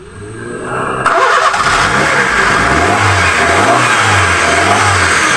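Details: Honda City with a no-start traced to no spark at the distributor, after the plug wires were refitted in cylinder order 1 to 4: starter churn, then the engine catches and revs smoothly and evenly; normal start and rev.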